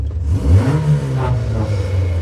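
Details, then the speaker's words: Toyota Corolla KE35 cruising at a few miles an hour: low droning rumble swelling with the engine; after the bearing was addressed the noise persists, so owner says it isn't the bearing and suspects the exhaust. "Still doing that thing there. So that thing that noise it isn't it isn't the bearing. That isn't the bearing. That's something else. I think I think it actually just might be the exhaust."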